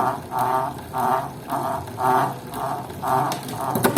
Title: TACX FLUX 2 strange noise